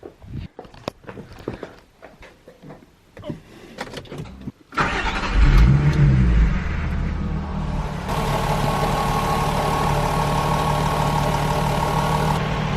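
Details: VW Golf 4 2.8 L VR6 after timing chain replacement for chain noise: engine cranks, catches quickly and settles into a smooth, quiet, even idle; normal start and idle.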